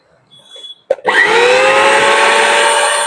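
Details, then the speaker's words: Universal commercial mixer grinder (Kanpur-made), final check after full repair and reassembly. Motor spins up quickly to a steady high whine, no rattle or grinding; no noise, running normally. "कोई आवाज़ नहीं आ रही है। आप इसे घर पर इस तरह बना सकते हैं।"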